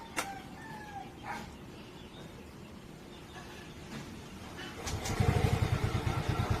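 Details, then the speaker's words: Yamaha Mio Gear scooter that was hard starting and stalled in traffic, after cleaning the two round start contacts; short crank, catches right away into a steady, even pulsing idle; normal quick start. "Yan, nalinis ko na yan, kaya tinamag pag-start ko na yan, start agad yan."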